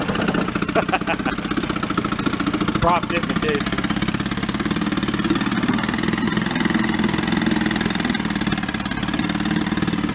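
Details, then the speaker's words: 1937 Sears Water Witch 2.5 hp two-stroke outboard, 83 years old, revived from a shed, running in water with a little more throttle and the needle at about one turn out, no oil cloud. A crisp, rapid putter held at constant speed without stumbles: running sweetly. "not bad not bad even the water's not all that gooey or nothing i'm not putting a cloud of oil on it nice runs pretty good"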